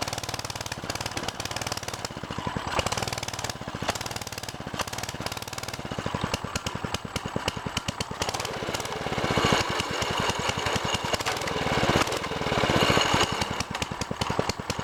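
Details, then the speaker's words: Baja DB30 mini bike, 97cc four-stroke single, started cold on full choke and not yet warmed up: fast, slightly uneven popping as it runs on choke; later dies at half choke. Cold running on choke. "Yeah, I'll start it up. I'm gonna start it up on a complete choke."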